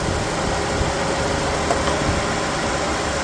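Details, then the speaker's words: 2005 Chevy Cobalt after replacing the engine cooling fan assembly (old fan's worn plastic made it noisier): smooth, quiet idle with steady fan rush, no wobble, rub or rhythmic vibration. "so now we're listening for the wobble oh that's smooth that's quiet it's"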